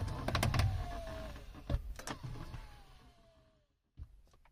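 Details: Audi A6 C7 MMI display after reassembly, with the guide lubricated with PTFE grease and the mechanism with silicone grease: two smooth motor whines falling slightly in pitch as the screen travels, ending in soft clicks. The earlier closing crunch is gone.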